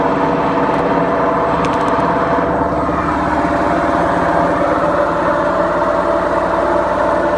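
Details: BEKO washing machine, 7 years 8 months old, with bad bearings: a steady, heavy rumbling roar throughout the drum spin with no letup, typical of worn drum bearings.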